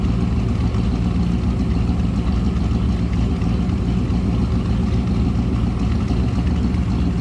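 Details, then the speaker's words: 1934 Ford 3-window coupe street rod heard running from the rear: deep, even V8 burble at idle with a steady low rumble and no knocks or misses; sounds healthy. "Good sounding car."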